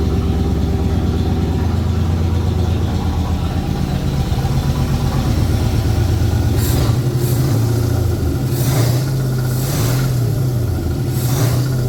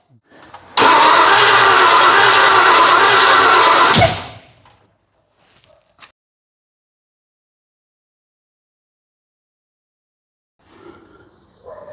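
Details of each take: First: 1981 Ford Bronco 351 V8 first running after no-start: timing confirmed, fuel added, carb refitted on homemade adapter plate after backfire lifted it; deep, lumpy idle burble with light throttle blips, runs evenly; small resonator muffler. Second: 1981 Ford Bronco that did not run, first start attempt after setting timing on number one, checking rockers and leads, fuel in the carburettor: hard cranking, then a sharp backfire through the carburettor with a flame that blew the carb off the intake.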